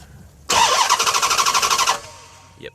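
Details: 2007 Dodge Charger Pursuit V8 Hemi: starter spins fast and even, about ten pulses a second, never fires. Intermittent no-start; starter, key and fuel pump priming seem fine; police key cutoff system suspected.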